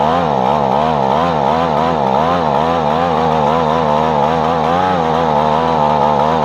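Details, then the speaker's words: Echo PB-250LN two-stroke leaf blower after fuel line replacement and carburetor cleaning, customer says it blows weaker than before: high drone wavering up and down several times a second instead of steady; suspected low blowing power. "so the question today is is there any way to get this blowing more powerfully is it underpowered in your opinion"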